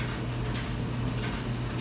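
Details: Clothes dryer after clearing debris from the blower housing that caused a rough rumbling noise: drum turns with a smooth, even low hum and no rumble or scraping, normal running.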